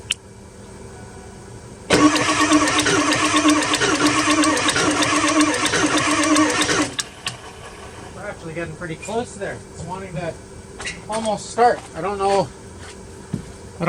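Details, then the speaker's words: 2002 Ford F250 7.3 Powerstroke diesel, sat two years: five seconds of steady cranking with occasional stronger beats as cylinders try to fire after ether, but it never catches; nearly starting, starting to get fuel. "don't really know why, but I'm sure you can hear it there, but it's actually wanting to almost start. So, it's kicking over there. Starting to get some fuel."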